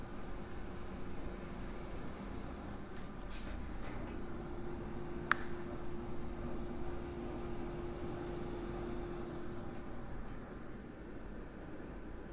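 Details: Home-built NAS (i5-8400, ASRock Z370 Pro4, used 14TB enterprise hard drive, 128GB SSD, 500W PSU) with soundproofing foam fitted: steady low fan hum and faint even drone, no clicking or grinding; ordinary running noise, still somewhat noisy.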